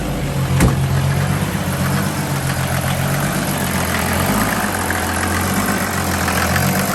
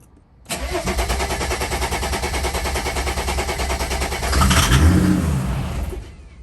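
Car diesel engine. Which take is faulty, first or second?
second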